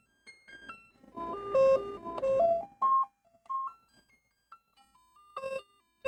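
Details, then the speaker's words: Commodore 64 with cleaned edge connectors under the cartridge diagnostic harness, SID sound test after the interrupt test: clear stepped electronic tones and chords with no dropouts or distortion; SID chip appears to be working. "And that is a rare thing in my in my experience, a SID that's actually working or at least it seems to be so far."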